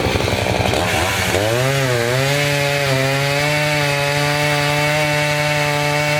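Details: Chainsaw cutting a dirty, sandy log that was partly cleaned first: it bogs as it bites, then holds a steady high buzzing note through the log. The chain is being dulled by the sand.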